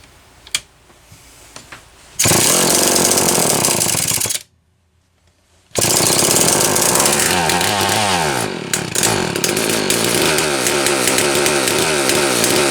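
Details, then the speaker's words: Homelite XL-123 chainsaw after swapping the ignition coil: roars, cuts out dead about a second, then restarts with an uneven, stumbling buzz, same as before; intermittent ignition misfire, cause unconfirmed. "wow doing exactly the same thing it did before"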